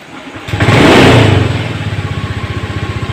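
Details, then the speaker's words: Honda Scoopy eSP scooter, idle set to 1600 rpm: green idling-stop lamp lit and engine stopped, then fires on throttle, revs briefly and settles into a steady idle putter; idling stop now works and restarts normally. "bisa menyala Kembali jadi Alhamdulillah fungsi dari adlinks tapi ini sudah berfungsi"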